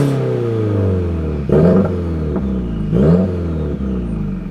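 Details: Subaru after repair of its broken exhaust, new exhaust part fitted and still burning in: two clean blips rising and falling smoothly back to steady idle, no rattle or leak puffing; normal, healthy exhaust note.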